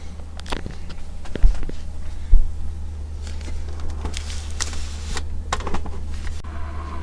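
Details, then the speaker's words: Acer Aspire E1 (Q5WPH) laptop before cleaning, idle CPU around 50°C: steady low droning whir with irregular crackles and clicks from the cooling fan fouled by hair and dust. "так он трещит что-то с вентилятором"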